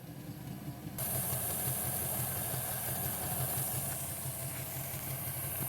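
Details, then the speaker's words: Model train Doodlebug loco after broken gears were repaired with CA glue and bicarb soda, first test on transformer power at slow speed. Steady low motor hum with a soft regular gear churn, no grinding or catching: runs smoothly. "Alright, so that's just slow."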